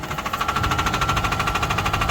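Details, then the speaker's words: Engine idling: a sharp, rapid metallic knock about twelve times a second rides over the idle; deep internal engine knock, joked to be a rod. "I'm ready for the rod to hit the camera."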